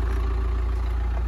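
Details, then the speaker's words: Crash-damaged 2019 Nissan NV200 diesel panel van, first start after clearing fault codes: deep, even idle with steady low throb, no knocks or misses; sounds like no intercooler but the engine sounds sweet. "it sounds like there's no intercooler that engine sounds sweet"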